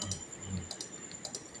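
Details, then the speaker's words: Honda Click 150 with the check engine light on that won't start: sharp ticks in quick pairs from the charging/starter main relay with no cranking, caused by a loose wire at the ECU connector. "Pumipitik lang yung kanyang relay. Ano nga ba ang problema niyan mga guys? Bakit ganyan?"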